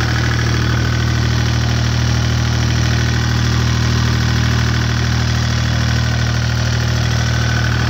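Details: Deutz 2009L03 (2009L3) German 3-cylinder direct-injected diesel on a test stand, cold start after sitting indoors at about 52°F, glow plugs used; steady even clatter at constant cold idle, no misses or stray knocks, seems to run pretty good.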